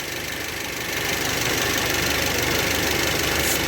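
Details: Toyota Avanza / Daihatsu Xenia petrol, throttle closed: steady idle held by the ISC valve opening slightly, with an even hiss of air drawn through the bypass past the throttle butterfly; normal, healthy idle.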